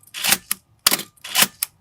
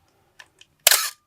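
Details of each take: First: 1981 Canon AE-1 Program after lubricating the gears to cure the "Canon cough": crisp, clean double clack of mirror and shutter about once a second, each firing even with no drag; shutter sounds healthy after repair. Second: 1981 Canon AE-1 Program fired at 1/1000 s: soft tick then harsh drawn-out rasping burst with faint whine as the slow mirror box runs; dry, unlubricated gears cause the classic cough. Shutter cough.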